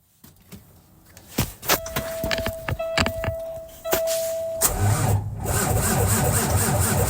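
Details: Cummins ISX15 diesel, cold start attempt: slow, labored starter rhythm of about four turns a second with no firing; cranks cold but won't start.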